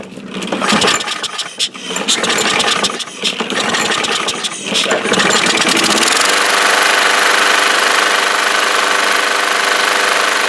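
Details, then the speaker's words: Troy-Bilt mower, Briggs flathead engine, neglected: run without the air cleaner after spraying carb cleaner, it pull-starts into a firm, even roar without stumbling or surging. The clogged air filter had caused choking and stumbling. "It seems like that the air filter was the restriction because it was stumbling, it was choking. Right now it sounds strong."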